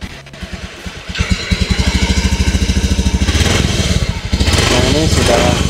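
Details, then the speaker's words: 2016 Honda Beat FI scooter idling right after throttle body cleaning and IACV sensor removal/refit: small single thumps at a quick, even pulse with no misses; smooth, normal idle even before idle adjustment. "ya suaranya halus langsamnya juga normal padahal belum saya Setel ya"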